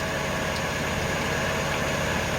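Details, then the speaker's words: Jeep Commander (2005–2010), engine idling after rack-and-pinion replacement: thin, steady high squeal from the belt drive; owner suspects the alternator, fluid on the belt considered but doubtful. Cause unconfirmed. "Sounds like the alternator. Somebody's got an unhappy squeal. Could have been fluid on the belt too, but that's doubtful."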